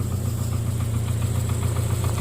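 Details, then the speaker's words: 2009 Subaru Forester 2.5 at steady idle: a deep, regular, loud knock rides on every turn, a worn connecting rod bearing knocking. "2009 Subaru Forester 2.5, and you hear that knock, knock, knock, knock, knock, knock, knock, knock."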